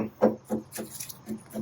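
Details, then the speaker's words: Rotted wooden deck center post, being struck: dull, dead thuds, about four a second, with no crisp ring; post rotted soft at the bottom, deck judged dangerous. "This post seemed to have been buried in the pad and rotted out at the bottom. This center post has the same rot."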